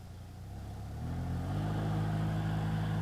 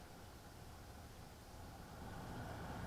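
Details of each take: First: BMW F01/F02 (2008–2015) cabin blower motor: a low droning roar, like a jet, that rises in pitch and loudness as fan speed steps up, caused by a deteriorated mesh filter letting leaves and debris unbalance the fan. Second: BMW F01/F02 blower after replacing the deteriorated mesh filter cover that had let debris unbalance and hit the fan: soft, even airy rush with no rattle or scraping; blower runs quietly again.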